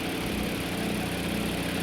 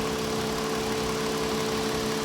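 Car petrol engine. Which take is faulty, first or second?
first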